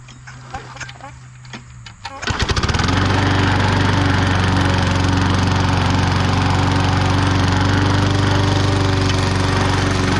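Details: Bolens 22-inch side-discharge push mower with a Briggs & Stratton 500 series engine, after a no-spark no-start fix: pull cord, then it catches and settles into a strong, steady, even drone in thick grass. Runs healthy.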